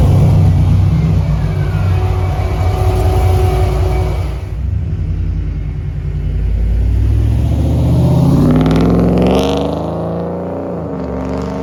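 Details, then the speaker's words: Trailblazer SS V8 during track prep: deep rumble climbing with revs, raspy clattery edge on pulses; owner calls it too raspy and clappy; leak at the slip-joint clamps. "to me it sounds a little bit too raspy a little too clappy I don't know if that's even a word to describe an exhaust"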